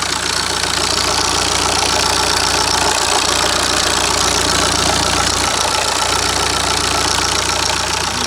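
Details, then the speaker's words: 2013 Mini One 1.6 D (BMW N47 diesel) idling: harsh, fast metallic clatter like a bag of nails, steady throughout; timing chain problem suspected, engine to come out for a new chain kit. "So, yeah, now it still runs, it still starts and it still runs, but it sounds like a bag of nails."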